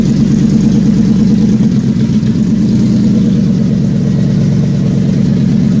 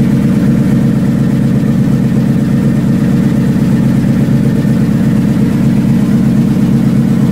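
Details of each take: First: Factory Five Mk4 first start, oil pressure about 100 psi: deep, even V8 idle with a steady beat and no ticks or knocks, quieting down and settling into a healthy idle. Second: Factory Five Mk4 V8 on first start, oil pressure down to 65 psi: loud idle with fast, fairly regular ticking over the rumble; suspected exhaust leak, probably at the collector, not confirmed.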